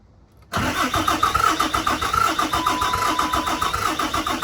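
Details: 2008 Dodge Ram 3500 6.7 Cummins diesel, first start attempt, self-bleeding fuel system primed by cycling the key: starter cranks steadily with compression pulses about four per second, but the engine doesn't catch.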